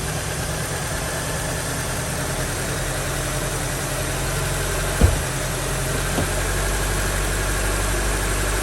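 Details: 2003 Honda CR-V idling after a misfire fix: a steady, even idle with a smooth low rumble and no stumbles or skipped beats, plus one brief knock from handling. Normal idle.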